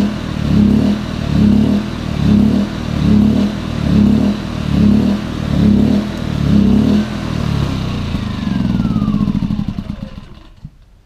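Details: Champion 2000W 73536i generator with about 16-24 hours of use surging up and down about once a second at idle, also at higher rpm; owner suspects a plugged idle jet, fixed by cleaning the carburetor and adding a fuel filter.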